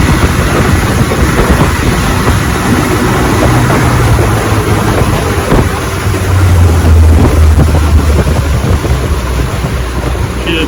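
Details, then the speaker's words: Fully restored 1958 Johnson 18 HP FD-12 two-stroke outboard on a 14 ft Feathercraft, lake test: steady, even high-revving drone at full throttle over wind and water noise, no misses or surging; healthy. "oh I love what I do when it comes out good sometimes you have trials and tribulations and when you make them run good it's fun"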